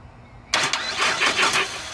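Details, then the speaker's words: PT Cruiser (manual) with a no-crank fault, starter relay bypassed with a jumper wire straight to the starter: starter engages sharply and spins the engine at a steady, even cranking rhythm with no grinding or clicking, so the relay-to-starter circuit is complete. "we now know that that circuit is complete from the starter relay to the starter"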